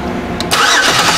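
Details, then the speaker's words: 2005 Chevy Equinox 3.4L with a crank-no-start and a new fuel pump: the starter spins the engine steadily but it never fires; a test light shows no power at the injector feed pin because the main relay is not turning on. "I've got not all right got nothing on that pin and that was my power feed so we are we are missing power to this injector"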